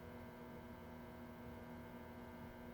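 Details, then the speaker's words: 1942 Zenith 7S685 radio-phono console record player motor, bench-tested on a variac with power brought up slowly to 90 then 110 volts: soft steady hum, no scraping or wavering, spinning smooth as silk; good motor, normal run. "all right we have a good motor it's at 90 volts now turning smooth as silk 110 volts isn't that sweet"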